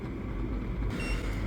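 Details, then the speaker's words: Karaca Cool Touch double-wall 2200 W electric kettle, full, water at about 91 °C approaching 100 °C: soft, steady low rumble of boiling with no hard knocking, quiet; normal boil. "şu anda kaynama sesini duyuyorsunuz dışarıya çok fazla ses vermeyen gayet sakin ve güzel bir şekilde kettle suyunu kaynatıyor"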